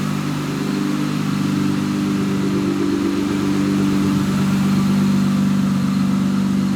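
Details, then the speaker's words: Higher-mileage Honda Accord V6 6-speed after valve lash adjustment and intake manifold work, exhaust heard: quiet, even idle hum with a mild low drone, no ticking or stumbling; normal idle. "I can already tell though the valve adjustment definitely helped. This thing's running really good and smooth."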